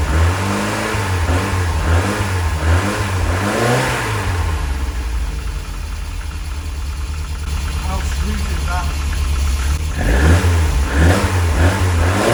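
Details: Lotus Elite revived after ten years in a barn, after cleaning debris from the carb chambers and adding fresh fuel. Still cold, with good oil pressure and charging. A steady low idle with clean throttle blips that settle back smoothly; healthy.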